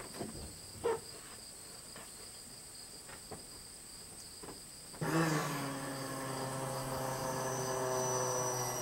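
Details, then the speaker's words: Dually truck after fitting a brand-new fuel pump and sending unit assembly: a few faint clicks, then a steady electric hum comes on and holds evenly; the new fuel pump primes normally. "ain't that a sweet sound ain't that a sweet sweet sound"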